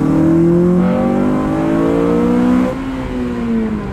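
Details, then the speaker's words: Honda Civic Type R FN2 (K20) after budget induction kit install replacing restrictive cone filter, on the road into VTEC: smooth rising intake roar through the revs easing off on the shift; no engine light, healthy. "Okay, that definitely has made a bit of difference, and we do not have an engine management light on."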